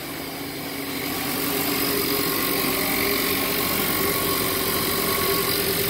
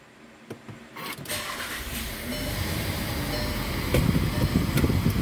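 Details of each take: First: 1.4 TSI VW Jetta at idle: steady idle with a fast, fairly even metallic rattle about four per second, present since purchase; owner suspects the turbo, sounds like something spinning and knocking against something. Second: 2017 VW Jetta 1.4 TSI push-button cold start after a tune-up with new spark plugs and a new air filter; previously starting to run rough: catches quickly and settles into a smooth, even idle with no misses or knocks, healthy.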